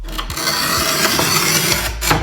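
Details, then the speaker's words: QEP 24-inch manual tile cutter: steady, even gritty grinding for about a second and a half as the scoring wheel rolls across the tile under consistent pressure; a proper score. "hear that grinding nice and consistent push drive it back push down with the arm"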